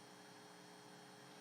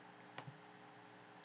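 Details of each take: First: 2.5-inch SATA hard drive on a SATA-to-USB2 adapter during a block-by-block scan: a quiet, even whirring hum with a faint steady tone and no clicks, before later clicking failures; normal running. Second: 2.5-inch SATA II laptop hard drive on a SATA-to-USB2 adapter during a disk scan: quiet room with sharp, isolated clicks about a second apart, signs of mechanical failure, possibly from a loose connection.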